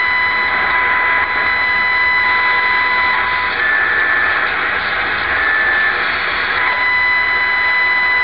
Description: My new Sangean ATS-909X has a whining noise around 888 kHz. It stops when I connect an external antenna (which disconnects the internal ferrite antenna).